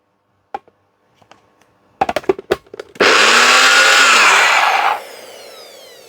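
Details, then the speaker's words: Donated blender, motor base good, retested after jug probably wasn't done up tight enough (owner thinks bearings wear in these): a few clicks as jug seats, then two seconds of smooth even whirring with no grinding or rattle; normal running. "So, I guess the bearings wear out in these things. We'll turn that back on. Try that again. That one certainly sounds better."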